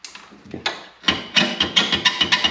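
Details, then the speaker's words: 2014 Harley-Davidson, hot: exhaust rocked by hand gives sharp squeaky knocks about three per second from worn rear rubber exhaust mounts, before replacing them. "hear that? That's what it sounds like when it gets hot. Harleys don't sound like that."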